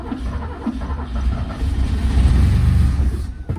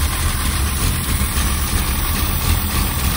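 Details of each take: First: 1963 Mercedes W111 220SEb cabriolet under restoration: the starter churns the engine over steadily but it never catches. The fuel pump can be heard but nothing circulates because the tank ran out of fuel. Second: 1963 Mercedes-Benz W111 220SEb cabriolet at idle during restoration in a garage, some overfuelling noted at start: steady, even low rumble with no misses, knocks or rattles; engine sounds healthy and settled.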